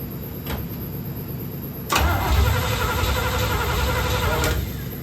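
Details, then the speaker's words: 1972 Corvette C3 small-block Chevy, first start after rebuild: starter spins the engine evenly about four turns a second but it never fires; no fuel reaching the carburetor, though cranking began pumping gas from the tank. "That ain't supposed to happen. You ain't got gas in there, do you? Gas in the tank."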